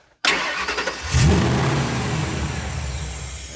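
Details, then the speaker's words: 2002 Ford SVT Lightning, first start after rebuild: it cranks, catches and flares, then settles into a lumpy, uneven run; unmetered vacuum leak because some tubes were left unhooked. "we go got some vacuum leaks that's all there we go okay that doesn't sound that normal"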